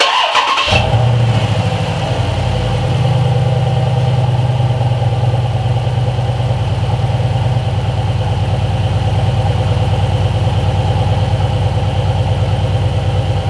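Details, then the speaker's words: 2012 Jeep Grand Cherokee SRT8 6.4 V8 after replacing upstream O2 sensor for bank 2 misfire (P0300/P0151): starter crank then deep steady even idle, no stumbles; idling much better, normal. "so it's sounds good it is idling better A lot better"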